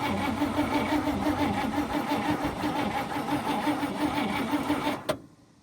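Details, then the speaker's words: 1954 Cadillac, 12V battery borrowed from a 59, gas poured in: starter cranks steadily but engine won't start; possibly flooded, suspected no spark from damaged spark plug wires, one severed. "Yeah, I'm probably not getting any spark. Some of those wires are shot. Not going to go."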